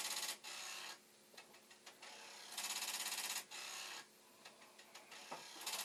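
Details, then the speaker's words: Commodore 1541 disk drive after head stop adjustment, failing to load the directory: bursts of rapid, hard high-pitched rattling alternating with quieter ticking, the head banging against its stop on failed reads. "I did, just for a moment there, tweak the speed, and if the drive wasn't doing its head banging, you might have been able to hear it."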